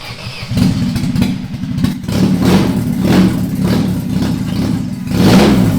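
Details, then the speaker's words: Stock car's freshly self-rebuilt engine on its first start after rebuild, no exhaust fitted yet: loud, raw bark revving up and settling evenly with no knocks or rattles; normal running with open exhaust. "It's running. The exhaust. We obviously haven't got an exhaust on it yet. That's why it's sounding like that."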